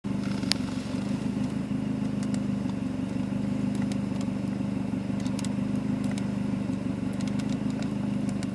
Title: Mazdaspeed3 rough idle high fuel trims